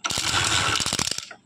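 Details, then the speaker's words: Old Hero Splendor Plus kicked over without starting; harsh metallic clatter from the magneto flywheel, ending in loose knocks. Noise appears at low throttle, not when revved. Owner suspects a magnet broken inside the flywheel rubbing the coil. "देख सकते ये आवाज़ कर रहा है, इसका मतलब कि रहने दो, किक मत मारो, इसका मैग्नेट आवाज़ कर रहा है।"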